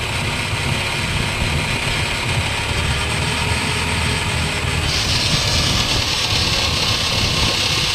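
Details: Holden Barina TK: a steady low droning rumble under the road and engine noise, from a worn wheel bearing.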